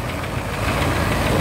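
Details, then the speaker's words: 1978 Corvette V8 with brand new distributor, restarted after standing a few days: idle with tappet noise and a quick, steady knock beneath; the bottom end is going, though still drivable. "redone. The bottom end's gone on it. On its way. It is drivable."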